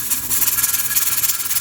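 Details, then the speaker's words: Pressure canner raw-packing boneless chicken thighs, timer just started: loud steady steam hiss with fast, fluttering puffs as the weight rocks nonstop. It vents too hard, so the heat is turned down slightly; the weight should cycle every 10–15 seconds. "So that's a little too much, so I'm going to back this off just slightly."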